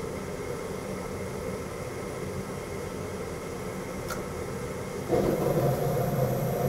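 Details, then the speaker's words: Lennox gas-fired furnace in heat call, after inducer runs and hot surface igniter glows: steady fan hum, sharp gas valve click, then sudden rush as burners light cleanly, flame sensor proving flame; normal ignition sequence. "right our burners has ignited we have ignition our flame sensor is there on the opposite end to prove that we've got a flame"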